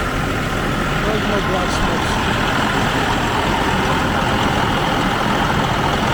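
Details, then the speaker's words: 2004 Freightliner Columbia diesel truck after starter solenoid repair, started with starting fluid, coolant still cold: steady, even rumble with normal clatter, no stumbling or missing; runs fine, oil pressure normal. "It sounds good."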